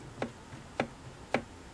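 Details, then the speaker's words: Singer 457 sewing machine horizontal arm shaft rocked by hand: three sharp separate clicks about half a second apart, heard from the hand wheel end though play seems elsewhere; end play, fixed by moving the adjusting collar against the bearing. "hopefully you heard that and what's funny is that the sound comes down from this end and that's what fools most people the sound that the the play feels like it's down in here"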